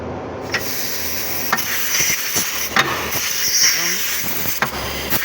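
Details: Rebuilt Fuller gearbox from an Iveco Eurotrakker on the bench, range selector shifted to high while stepping through 4th–5th gear: sharp air hisses and clicks over a light whir; air range shift working normally.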